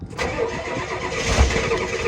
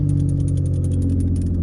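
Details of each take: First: Old OBS diesel with fast fuel systems, not cranked in a while, chilly morning, glow plugs cycled, deliberately overfuelled: long cranking with uneven heavy chuffs and surges that never catch; needs compression to start, fuel pump sounds healthy. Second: Vehicle back from winter hibernation at 11 degrees, battery tended, a little race gas added: strong steady low rumble with an even beat and light ticking, no misses or stumbles; fired right up, normal cold idle.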